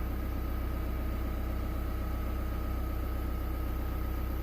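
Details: 2017 Chevrolet Colorado ZR2 2.8 L Duramax diesel just after fuel filter change and fuel system priming: soft even idle with steady low pulse, no misses or knocks; normal smooth idle.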